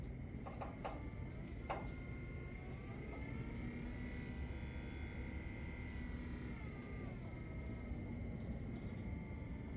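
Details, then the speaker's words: Ultrex trolling motor after a foot rebuild with new armature and seals (the bearing had been grinding after the boat sat 10 months), on constant mode being turned up. Faint steady whine rising slightly, near silent: normal running. "Now I'm gonna turn it up. Can't even hear it."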